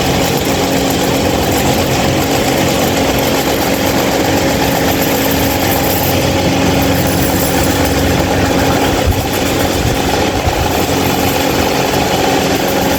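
Loud, steady drone with a constant hum and rattly buzz that never changes; the fan runs far noisier than it should.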